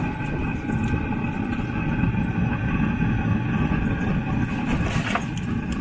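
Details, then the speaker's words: Newly fitted Webasto diesel parking heater on a Land Rover Freelander 2, running about half an hour with hoses and coolant warm: a steady, even jet-like roar with constant tones on top, no surging or popping; burning normally. "it's all running it's been on for like half an hour and um i feel the horses are warm and the cologne itself is warm as well"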